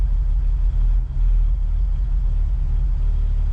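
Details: Jeep Wrangler TJ idling in drive: a deep, low rumble with brief sags in the beat. Fuel pressure is oscillating; the owner suspects the fuel pump or its wiring. Battery voltage bounces but is thought to be an effect, not the cause. Rough idle.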